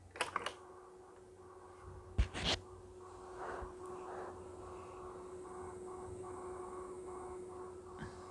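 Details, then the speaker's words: Pioneer CT-223/CT-S200 late-1980s cassette deck after transport cleaning and oiling, playing: steady moderate motor hum, a few handling clicks, no squeaking, scraping or flutter; normal tape transport running. "just a hum just a moderate hum that's a nice work on a mechanics"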